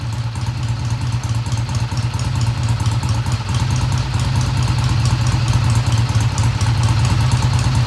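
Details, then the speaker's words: 1971 Triumph T120 twin on first start after head work, valves freshly adjusted: steady even thrum with light top-end patter, no misses; idle ran fast at first, then dropped; healthy idle. "Sounds good to me. I don't have the tach hooked up, I'll do that. The idle sounded fast at first, but then it kicked down."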